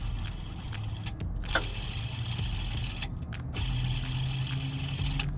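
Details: C5 Corvette with a bird-like chirp under the hood, AC belt removed: dry, rough whirring with scattered clicks as the idler pulley is spun by hand with the belt off; worn idler pulley bearing, not the harmonic balancer.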